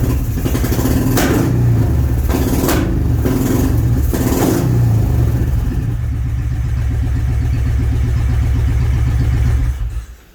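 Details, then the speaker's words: Honda motorcycle first start since 2019 after carbs stuck closed and turpentine-smelling fuel, run on gas poured into a funnel; catches, blipped up and down a few times, settles into a steady idle, then shuts off; running normally after long storage. "All right, I got some heat in it, so it's starting, it's running, it's idling, which is shocking."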